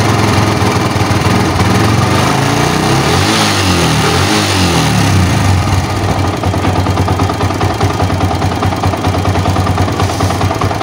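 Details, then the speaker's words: Old Yamaha Vixion single-cylinder engine at a rough idle with a loose rattling knock from the block, typical of piston slap. It gets louder and loses power when hot. "Nah dari Soraya temen-temen ya bicaranya sangat kasar sekali ya"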